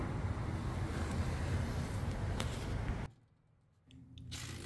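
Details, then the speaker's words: Husqvarna 22V46 riding lawn tractor, belt tension released, idlers spun by hand: one fine, one noisy, one rough gritty rumble that coasts to a stop; worn idler pulley bearing. "you can hear this one's fine this one's making some noise and this one's making a lot of"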